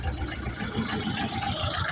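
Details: John Deere 304H loader diesel that stalled and cranked without starting: it has just caught and settles into a steady low throb with even firing pulses. Clean idle now that fuel delivery is restored past the jammed debris.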